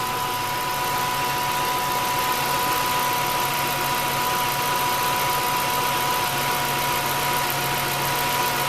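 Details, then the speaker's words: 2002 Ford F-150 4.6L 4x4 with P0401 code, vacuum applied to the EGR valve at idle: idle turns uneven and lumpy as it should, showing exhaust gas flows and the EGR system works. "[Music] you can hear how rough that thing's running now compared to the first time we tried it all right there you have it that's what it should sound like at least on this F-150 with the EGR system and properly working"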